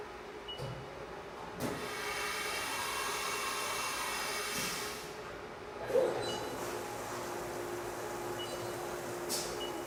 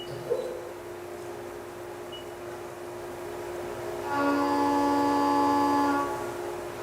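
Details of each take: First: Okay, so the cut we heard there was unstable. That was chatter. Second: Milling cut after a chatter demonstration cut, with only spindle speed changed: spindle whine holds steady, then the cut adds a clean, even tone with no rattle or shriek. Stable, chatter-free cut.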